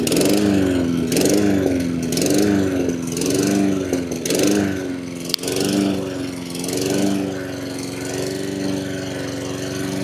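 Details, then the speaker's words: Honda HRN216 mower after repair with new carburetor, air filter and spark plug: engine briefly wavers then settles into a smooth, even run, surging fixed. "Alright, I got my hopes up. It's not surging anymore."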